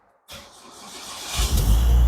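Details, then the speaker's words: Gen2 car starting after rewiring, with the ECM relay installed; the engine catches at once and settles into a steady, even low rumble, a clean healthy start. "Hidup. Oke, kita on. Hidup RPM. Betul?"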